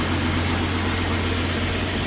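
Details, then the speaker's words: 2016 Ford F-150 3.5 V6, once called locked up, idling after its first start while burning off cylinder fluid, possibly Marvel Mystery Oil: steady, even low hum, no knocking or ticking, engine quiet; normal idle. "It smells like Marvel's mystery oil, so I don't think it is transmission fluid. But that engine is quiet."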